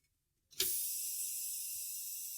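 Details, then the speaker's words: Truck pre-trip air brake leak test, truck and trailer valves pushed in, service brake held; sharp air burst then steady high hiss settling as brake chambers fill; normal brake chamber fill. "you can hear the air fill the brake Chambers get comfortable in your seat because we have to hold this for 60 seconds"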